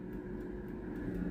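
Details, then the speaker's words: Philips NA120 air fryer after repair (had no heat and fan not spinning; fixed by bypassing basket tray switch): steady fan whoosh with low hum, no rubbing, fan keeps running with basket out, timer and temperature cut normally. "ตอนนี้มีเสียงพัดลมทำงานแล้วนะครับเมื่อเราดึงถาดอาหารออกมานะครับตอนนี้พัดลมก็ยังทำงานอยู่นะครับแต่เวลาและอุณหภูมิอะไรตัดตามปกตินะครับ"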